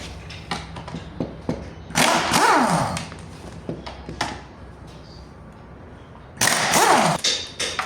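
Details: Honda CR-V first generation (RD1): uneven dull knocks and thuds heard in the cabin, bunched during steering movements rather than following engine speed, from a worn steering rack.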